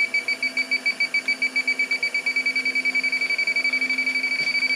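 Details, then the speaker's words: Walk-in cooler under nitrogen with a contaminated room, fans off: refrigerant leak detector beeps rapidly, speeding to about eight or nine per second near the evaporator coil, detecting a leak. "yeah so contaminated obviously the door open oh yeah look at that she's going nuts up here in the coil area yeah that's not good"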